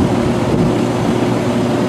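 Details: Rheem Classic central air conditioner condenser running at first seasonal startup in warm weather, air blowing out reading about 117–118: steady fan whoosh over low even hum, no rattle, squeal or cycling; normal.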